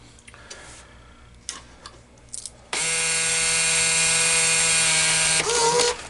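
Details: Green Stripe American Changer coin hopper on the bench: short clicks, then an even high electronic buzz holds steady for about three seconds and stops cleanly; the changer powers up normally.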